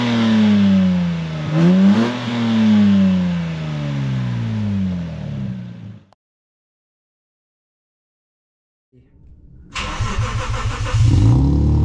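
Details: Lexus IS200 straight six (about 2 litre) after DIY near-straight-pipe, decat exhaust, recorded behind the car: loud raspy revs rising and falling smoothly through a couple of blips, no misfire or exhaust puffing; healthy running.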